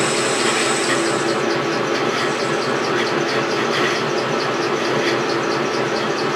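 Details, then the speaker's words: Milling machine motor on the underdrive, running: a steady rough grinding hiss with faint screech. Motor bearings are grinding and need replacing. "man you could hear the bearings on my motor just grinding they definitely need to be replaced"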